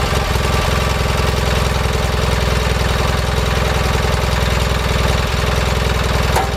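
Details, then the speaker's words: 4WD Gravely tractor, first start after sitting since April with a fresh battery, before a rear transmission planetary repair: it cranked right over and runs at a steady, even fast idle with a constant low hum and no knocks or misses. "so I just went up back to fire it up and threw a battery in it and it cranked right over without an issue"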